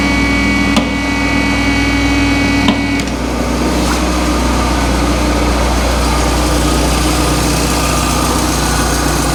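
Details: Peugeot RCZ-R running after a service and a new rocker cover gasket, checked for oil leaks before warming up: a smooth, even idle with a steady hum and no ticking or knocking; engine running normally.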